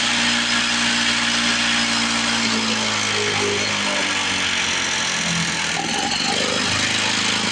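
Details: 1970 Lawn-Boy Buttercup two-stroke mower (model ~30237), run after carb spray cleaning: steady buzz whose pitch sags and climbs back, surging idle; owner suspects old gummed fuel or a sticking needle valve in the carburetor.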